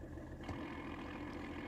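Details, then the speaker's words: Mercedes W124 with OM606 diesel, fitted with a budget clutch kit whose friction disc has strong springs, after the dual-mass flywheel couldn't handle the power: light metallic gear rollover rattle at idle with the clutch released. "you hear that rattle that's obviously the gear roll over sound and that's what the Dual mass is designed to remove but obviously the Dual Mass couldn't handle the power"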